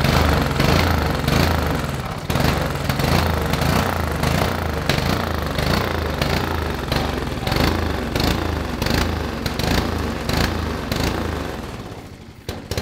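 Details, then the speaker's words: 5 hp Honda overhead cam single-cylinder engine on an old Murray two-seater kid's go kart, sat for years, uncleaned carburetor: catches and keeps running with choppy, slightly uneven thump, sagging off near the end; engine running. "hey it runs dude i saw the fear of god in your eyes"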